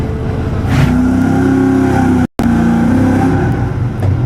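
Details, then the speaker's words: EFI V8 running cold with a fast idle and the throttle blade fully shut runs a little uneven with a slight misfire; cause suspected, not confirmed. "The issue we're having right now is that sounds like it has a little bit of a misfire."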